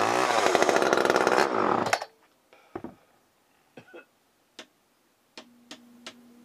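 A sharp high chainsaw buzz runs steadily for about two seconds, then cuts off; the old saw starts and runs.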